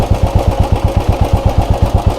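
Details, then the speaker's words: Royal Enfield Bullet 350 single-cylinder at idle, recorded near the engine during a BS6/BS4/BS3 sound comparison. Even thump, about eight beats a second, steady with no ticks or rattles; normal idle. "इसलिए ऐसा लगता है कि यह सामान्य ध्वनि कुछ इस तरह।"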